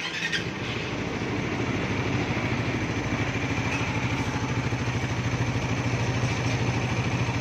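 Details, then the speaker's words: 2024 Suzuki Raider 150 Fi single-cylinder motorcycle, odometer 1,002, idling: fast even clatter keeping pace with engine beat from very noisy cam chain tensioner, before tensioner reset. "So ayan na, ang odo niya is one thousand two. Pero sobrang ingay ng kanyang tensioner."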